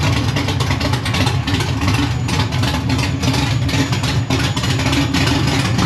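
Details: Cold LSX V8, freshly swapped into a C1 Chevelle and fired up in the car for the first time, has a deep, lumpy idle that wavers and stumbles as it struggles to keep running. There is no choke on the carb to richen it.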